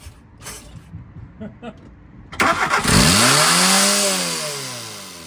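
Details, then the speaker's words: VW MK2 Golf 1.6 Driver engine, first firing after ignition module fault fixed and new battery fitted: brief cranking, catches and races high before slowly sagging; throttle suspected stuck slightly open, not confirmed; high idle. "As you can see, it is starting. Now we've just got to do something with that throttle. It's probably stuck on a little bit."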